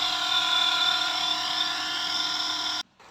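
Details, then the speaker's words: Running water pump on test before repair gives an abnormally loud, steady high whine with ringing tones, ending when switched off; cause found under the motor's rear cover, and the damaged part was replaced. "เมื่อเปิดทดลองใช้งานจะเห็นได้ว่าเสียงตัวเครื่องปั๊มน้ำดังผิด"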